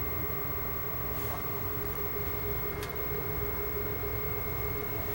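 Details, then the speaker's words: Xbox 360 before repair: fans keep speeding up soon after power-on as the console heats, not bearing noise; loud steady fan rush with constant whine, fans working hard because something is overheating. "and yeah it is just continually increasing in speed and that's definitely not barring noise that's just the the fan or I should say the fans getting faster all the time"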